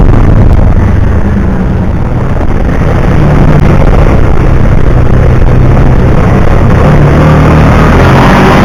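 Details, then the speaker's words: 2009 Kawasaki Teryx 750 fuel-injected, after the fix (nail inserted in center section) for backfiring and power loss when warm: loud, steady low drone at an even pace, no stumbles or pops; runs perfect. "well there she is that's after the fix runs perfect"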